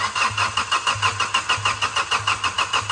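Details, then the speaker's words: Hydrolocked, flood-submerged diesel car with water removed: the starter churns in even surges of about 1.5 per second with the injector couplers unplugged to bleed air from the diesel; the engine never fires. "चल भाई कप्तान self मरेगा तो इनमें से diesel ए जाएगा भाई चलो मार"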